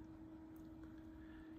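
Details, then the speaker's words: Yaesu FT-710 AESS transceiver, just switched on and only receiving, never transmitted: steady, even mid-pitched hum from the cooling fan, which runs constantly even on receive. "you hear that hum it's the fan the fan runs it's right here the fan runs constantly even on receive I haven't even transmitted I just turned the radio on"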